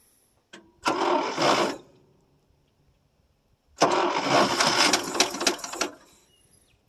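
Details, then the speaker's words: 1963 International C120 4x4 with a 266 V8, cold start after years parked and the carburetor bowl leaking. Two bursts of steady cranking at about four turns a second with no firing, because the carburetor is dry and needs more gas. "you tell she's dry go ahead put a little more gas in it"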